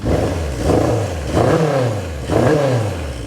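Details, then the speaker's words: 1978 Kawasaki KZ650 with the idle still set slightly low, carbs not yet balanced, and exhaust blowing out what may be packing. Three throttle blips with a slightly ragged rise and fall. Owner says it revs pretty good. Uneven revving. "I still need to idle it up maybe a little bit, maybe a very little bit. We'll see how it settles in. Still have to balance these carbs."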